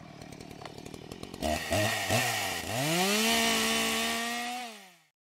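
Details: Husqvarna 435 two-stroke chainsaw with idle speed already properly adjusted; fires up to a steady buzzing idle while the chain keeps spinning, clutch suspected of engaging too early.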